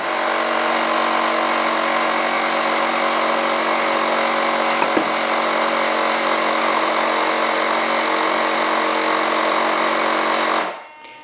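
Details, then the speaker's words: BVM F100 RC jet gear cycle: the small onboard compressor buzzes for about ten seconds, then cuts out, kicking on repeatedly because an air leak bleeds pressure, probably in the door cylinders; the nose gear cylinder is not yet redone. "failure number one is we do still have an air leak it looks like it's probably in the door cylinders"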